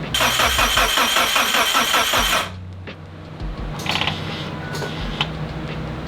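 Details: Mitsubishi Evo 8 first start attempt in five years: steady cranking about two and a half turns per second with no firing, then stops; oil pressure present, fuel pressure reading 0; crank no-start.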